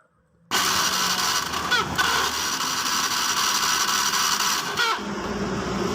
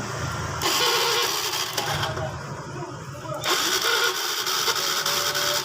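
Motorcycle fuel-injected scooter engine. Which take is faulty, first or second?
first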